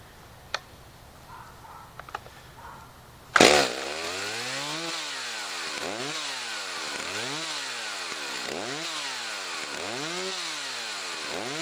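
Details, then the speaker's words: Chainsaw, unused about two weeks, started on choke and warming up: repeated throttle blips with revs climbing sharply and dropping cleanly as it gets freer revving, warm enough to use; normal warm-up revving. "Can you tell when the engine's a little bit freer revving? At that point in time, it's warm enough to slowly start to use."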